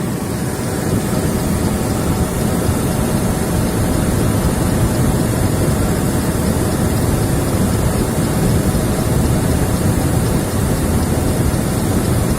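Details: Chevrolet Blazer started after full rebuild of the power steering pump (pulley shaft bushing, lapped surfaces, new seals and high-pressure hose): steady, even engine rumble with no whine or groan; pump now pumps and is quiet.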